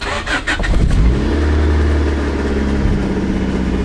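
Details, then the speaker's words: Turbo Del Sol project car starting after the owner's first head gasket job, with fresh oil and new coolant, after flood damage; brief cranking, quick catch, then a steady even idle with no misfire or knock. "all right that is awesome so now the head gasket was fixed"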